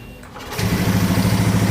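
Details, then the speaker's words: Honda Scoopy FI scooter, no fault codes: cranks into a lumpy, pulsing idle and dies when throttle is opened. "Ini digas malah mati. Ini malah mati digas."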